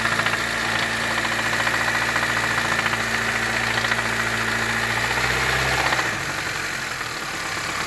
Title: Sonido de golpeteo de Bielas🧑‍🔧